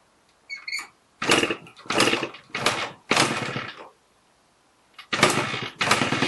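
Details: First start of an MT5 after renovation: sharp buzzy two-stroke revs in short bursts with quiet gaps between; the little engine picks up crisply and runs fine.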